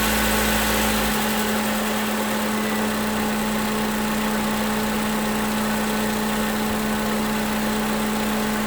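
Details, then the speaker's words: 2011 Toyota Camry 2AR-FE after lifter and rocker arm replacement, no leaks: revved to about 1600 rpm and released, returns to a smooth, even idle without stumbling; later coolant temperature reached 230 on scan tool. "Alright, so as you heard, brought up to 1500. Well, I got up to like 1600. Let it go, and it didn't stumble at all. So, which is a good thing."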